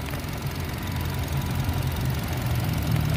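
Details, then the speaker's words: 2010 Nissan Livina X-Gear manual at idle; steady, even low rumble with no knocks, misses, or rise and fall, and the engine underside is still dry with no leaks: a normal, smooth, healthy idle. "untuk bagian kolongnya kita lihatkan nih nih masih kering mesinnya masih kering teman-teman Insyaallah mesin masih kering tidak ada aneh-aneh"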